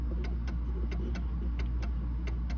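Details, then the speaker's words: Mantle clock after bending the crutch wire with pliers: ticks in limping pairs, short gap then one about twice as long, over a low hum; still out of beat, needing further adjustment. "tick tick tick it's still out of b okay so let's do it a little bit more bend that wire just a little bit more better but it's still at a beat"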